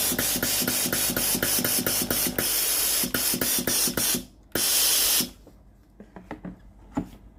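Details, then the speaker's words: Philips GC9622 steam iron after solenoid water valve repair and reassembly, water supply button pressed: rapid pump ticks about three a second, then strong even hissing steam bursts; normal steam output. "When the machine is ready to use, press the water supply button. Steam comes out normally."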